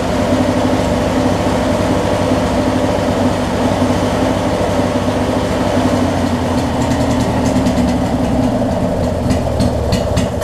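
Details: Craftsman opposed-twin riding mower with a new ignition switch, carb jets drilled to 8/1000 low and 12/1000 main, and an OEM coil refitted after a new coil failed: a steady, even drone with no misses or knocks; normal running.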